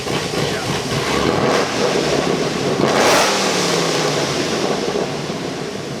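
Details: Procharged Chevy SS with stock automatic, around 50 mph; deep raspy drone as revs swing, choppy burble low in revs that sounds like breaking up but is just the mufflers, not a misfire.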